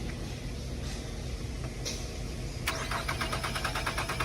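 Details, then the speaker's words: Auction vehicle with sideswipe damage: starter cranks in a quick, uneven chatter after a quiet spell and the engine fires but will not keep running; cause not stated. "She fires up, but won't continue to run once it does fire off."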